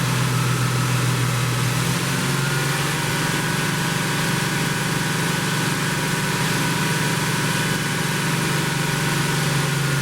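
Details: 1972 Plymouth Roadrunner 383 Magnum V8, after sitting 15+ months unrun, during cam break-in: strong steady high idle, deep even rumble, no knocks or ticking; normal fast idle.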